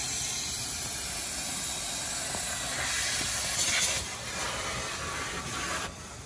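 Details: 1989 Crown Super Coach bus, after mechanic repairs: steady high hiss of escaping air after engine shutdown, swelling briefly; air brake system leak the mechanic couldn't locate, cause unconfirmed.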